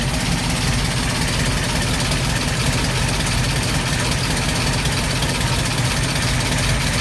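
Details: 1989 Ford Mustang LX 5.0 306 V8 with MAF, GT40X heads, GT40 intake, long-tube headers, Flowmaster 40s: loud idle with uneven, stumbling exhaust beat, misfire caused by a badly wired MAF.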